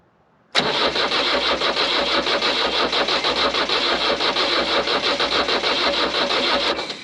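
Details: Oliver OC-3 crawler swapped to a 2.2L SD22 Nissan diesel, glow plugs hot-wired for preheat, black smoke but no firing; starter chugs about three beats a second for six seconds without catching; cause suspected, not confirmed.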